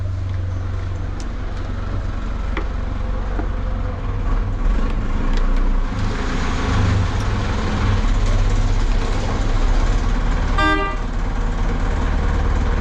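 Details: Hyundai 450 chainsaw repaired with a new carburetor diaphragm, after stalling and surging on throttle; the small two-stroke burbles at a steady, even low idle, running smoothly.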